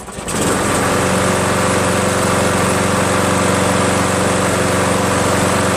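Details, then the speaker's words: Craftsman 7HP green self-propelled lawn mower, long hard to start; after adding fresh gas it catches almost at once and settles into a steady even run, never started that well before; owner suspects old gas was bad. "I gotta tell you something man it's never started that well before honestly"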